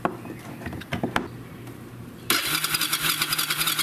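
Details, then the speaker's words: Mid-1990s Kawasaki Bayou ATV that sputtered and now won't start, cranked while a spark tester is held on the plug: rapid, even starter churn at about three turns a second with no firing. Spark is present. "so I'm going to use that it does not fit these style plugs very good so I'm going to have to hold it in place while I crank the engine"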